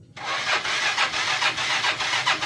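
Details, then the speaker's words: Motorcycle left unused during the Lebaran trip, electric starter pressed: rhythmic whirring pulses about four a second, starter labouring, engine not catching; old, run-down battery, to be charged with a laptop charger. "Ini yang merah enggak bisa. Sek yang satu nih."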